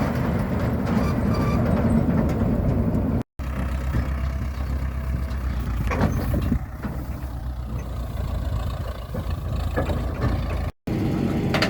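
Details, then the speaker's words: Massey Ferguson 40 combine, Valmet 6-cylinder, after sitting 3 years, running after the drive chains were oiled: low even rumble with no rattling or chain slap; noticeably quieter, sounds a lot better. "Some difference in noise level after a bit of lubrication. Some chain oil. Sounds a lot better."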